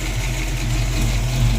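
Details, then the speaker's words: Mustang V8 idling after adjusting a quacking number-three rocker and fixing the fuel system and harmonic balancer: steady deep even rumble, no ticking, sounds much better; small vacuum leak noted. "all right sounds much better"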